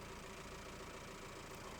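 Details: Mahindra Roxor turbo diesel, idling after a Dirt Legal intake retaining bracket was fitted to stop boost leaks: a quiet, steady idle with an even low clatter and no hiss or surging. Inspection found no leaks; normal idle.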